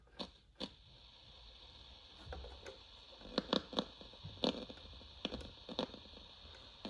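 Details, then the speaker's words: General Electric 7-2930D portable AM/FM/TV-audio radio on batteries, AM test indoors: irregular sharp pops and crackles about once a second over a faint hiss. Owner attributes it to oxidation issues in the radio. "This radio does have some issues. Specifically oxidation issues."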